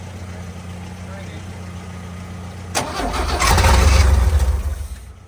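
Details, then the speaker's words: 1966 Chevrolet C10 first start attempt: a steady hum, then about two seconds of quick, even cranking that never catches; fuel is not reaching the filter, and a new fuel line from the frame to the pump is needed. "Well, we're still not getting fuel up into our filter, are we?"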